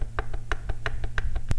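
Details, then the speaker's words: Kawasaki KX65 two-stroke that heat-seized, connecting rod rocked up and down by hand: sharp metallic clunks from excess play. The rod big-end bearing in the crank is trashed. "Let's check the rod for up and down play. Oh yeah, that thing's toast. The rod bearing in the crank is trashed."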